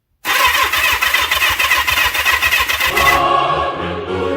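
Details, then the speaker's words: 1977 Kawasaki KZ650 cafe racer, starter motor tested by bridging the new solenoid's two terminals with a screwdriver: quick steady whirring of about three to four turns a second, no grinding or clicking; starter spins freely. "And the way to test that is very simple. Uh not what I was doing. But you take a screwdriver and just put it across THE TWO TERMINALS."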